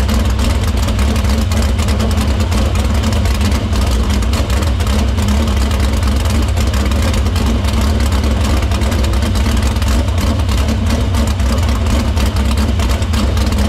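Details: Dirt Silver Crown race car after fixing a vapor lock in the fuel cell, repairing the line and cleaning the filter: loud, heavy, even engine roar holding steady with no stumbles or surging; fuel system checks out.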